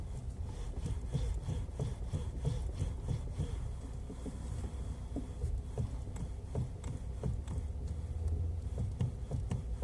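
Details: Kia Ceed facelift steering rack knock: irregular dull clunks and knocks in uneven bursts over a low rumble, typical of a worn steering rack.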